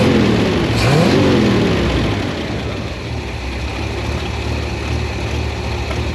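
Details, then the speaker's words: 1972 International 1110 pickup engine after an ignition overhaul (new points, cap, rotor, coil, plug wires, timing adjustment) and carb tuning. It revs up cleanly, then settles to a steady, even idle with no stumble. Running smoothly. "well that's as good as I can make it mechanically the thing's running pretty well right now"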